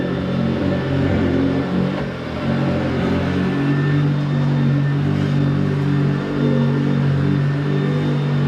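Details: Hoover vacuum cleaner, hoovering: loud, steady, rough drone with a few tones riding on it; it works but sounds bad.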